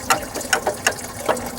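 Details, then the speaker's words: 2010 Dodge Ram 3500 Cummins 6.7 diesel, belt pressure off, water pump shaft rocked by hand: sharp metallic rattles about twice a second from excessive shaft play, the same noise heard while driving; worn water pump, fourth pump being fitted. "see how loose that is and hear it rattling. And that's the sound that we're hearing in the truck."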